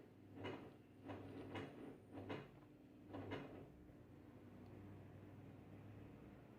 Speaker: Vamos a darle inicio ya comenzó eh la homba de desagüe a